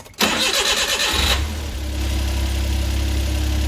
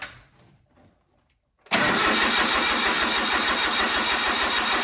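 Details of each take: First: Suzuki Carry with freshly rebuilt engine, no coolant, after fixing high idle from two open vacuum lines: fires instantly, flares briefly, then settles into smooth even idle with steady low hum; normal idle. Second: Suzuki Carry with an empty fuel line: the starter cranks evenly for about seven seconds but the engine never catches; no fuel pump priming heard, and a missed wiring connector is suspected.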